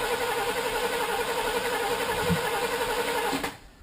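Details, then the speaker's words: 1978 Chevrolet Camaro LT with 350 V8 and 350 transmission, started after sitting a long time: starter churns evenly about three seconds but it never fires; crank no start. "Sounds like no spark. Yeah, sounds that way, eh?"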